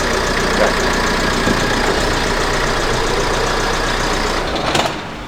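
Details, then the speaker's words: Ford Mondeo TDCI diesel with small clutch noises: steady idle clatter, then a heavy shake and rattle through the chassis at shutdown without the clutch pressed; flywheel suspected, not confirmed. "and when I stop the car without pressing the clutch pedal, if feels like a small earthquake within the entire chassis :-)"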